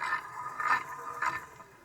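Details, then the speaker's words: 20-year-old golf cart electric motor, disassembled and turned slowly by hand in a quiet room: uneven scraping rasps with two louder catches per turn. It is not rubbing outside, and the owner suspects a bearing, not confirmed. "outside. I think that is a bearing."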